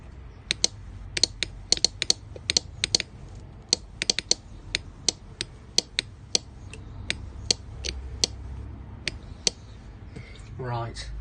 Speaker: if I move this closer you will actually hear the really click